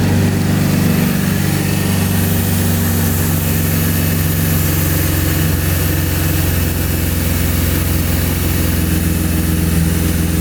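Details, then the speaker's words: 2012 Chevrolet Camaro V6 idling right after alternator and serpentine belt replacement, charging well: steady even idle, smooth low hum, no squeal, chirp or knock; normal idle. "I don't hear any crazy sounds. We're gonna take this guy for a drive."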